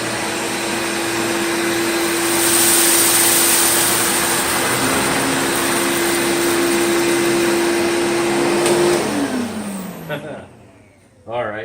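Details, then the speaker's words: Riccar 8850 vacuum motor after both front and rear motor bearings were repacked, following a sudden bad-bearing noise: steady high motor whine, smooth and even, no grinding or rumble, winding down cleanly at switch-off; motor repaired and healthy. "so yep I think we're back in business again with the 8850 and I'm glad I was able to fix the motor"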